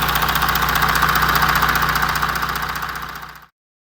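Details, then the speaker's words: Audi Q7 4M 3.0 CVMD 2016, about 170,000 km, warm idle, listening by oil filler side and other side: steady sharp tick about 220 per minute; ticking knock, timing chain stretch suspected, source unconfirmed. "Так, обзор на тему стуки в моторном отсеке Audi Q7."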